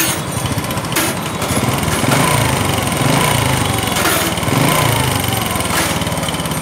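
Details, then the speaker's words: Honda Future Neo / Wave 110 small single-cylinder motorcycle engine, running with black and white smoke: steady running with harsh irregular knock; owner suspects the connecting rod, piston and rings also to be checked. Cause not confirmed. "Rồi bây giờ là mình sẽ từng tự mình ra để coi bích đông bạc, thì cái tiếng kêu này là mình nghĩ là do cây dên nữa, nhưng mà để coi coi làm sao ha. Mình nghĩ là giờ cái tiếng kêu dên đó rất là khó chịu."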